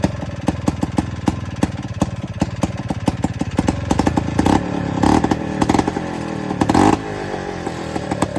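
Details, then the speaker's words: Two-stroke Rockwell engine in an Attex 6x6 with a new lighting coil and adjusted points: fires right up and holds a sharp, steady popping beat rising cleanly with throttle blips; runs normally, earlier no-start likely fuel accidentally shut off. "All right, so as you hear, it fired right up."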